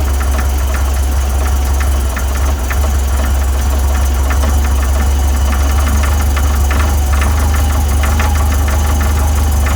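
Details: VW 1641cc flat-four, about 15,000 miles, standard crank and cam, twin DRLA carbs, idling cold: steady low knock about twice a second under the idle beat; cause found to be play in the aftermarket crank pulley.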